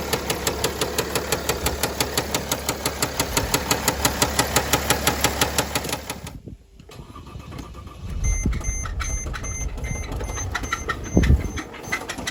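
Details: 2009 Mercedes ML320 with the 642 diesel, which knocked after a 4-hour drive and showed no oil on the dipstick. At idle a sharp, regular knock about three per second lasts six seconds, then stops, leaving only faint clatter. A rod knock is suspected.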